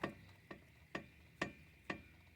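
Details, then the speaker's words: Chevrolet Meriva front suspension, wheel rocked by hand with play: five sharp clicks about every half second; worn lower control arm ball joint. "É só fazer esse jogo aqui, ó, puxar para trás a roda, puxa ela para trás, que vai ter o jogo, ó. Ó o barulho, tá vendo o barulho? Escutando, né?"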